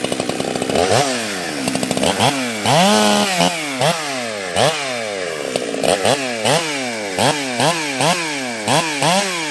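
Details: Husqvarna 365 Special 52mm build after a carb change, about the 3.5th heat cycle, carb tuning still not right: high two-stroke scream dips each cut about a dozen times and snaps back; clean-pulling under load.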